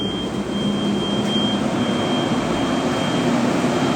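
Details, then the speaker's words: Rawsuns RAD20000 diesel-electric system component test (460 kW PMAC motor, 576 VDC liquid-cooled battery), system ready on lead-battery power: steady airy rush of the large radiator fan with a constant high whistle from the coolant pump, no rubbing; both working normally. "It's very big fan. We can also hear the pump is also working. The pump is also working."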